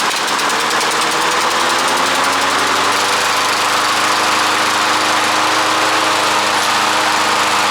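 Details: Old Toro push mower, cleaned up with sharpened blade, test start after being tipped over: small single-cylinder buzzes up and settles into an even, steady run with no stumbling; runs fine.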